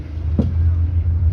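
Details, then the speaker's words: Jeep Renegade test drive, otherwise quiet: one sharp loud clunk cuts through low road rumble on a bump; shock absorber then removed for analysis; suspension clunk pointing to play in the shock absorber rod. "carro muito gostosinho de andar assim tirando a exceção esse toque toque aí chato é alto"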